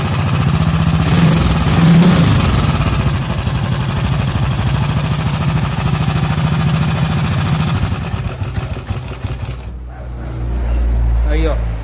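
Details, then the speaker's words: 1983 Honda CG motorcycle at idle: small single thumping with a light rapping tick that keeps pace with the revs, then shutdown; a knock from inside the engine, cause not yet confirmed, before full engine teardown. "Não sei se vocês escutaram, mas ela tá com um barulhozinho dentro do motor dela."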